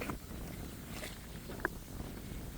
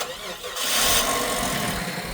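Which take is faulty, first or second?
first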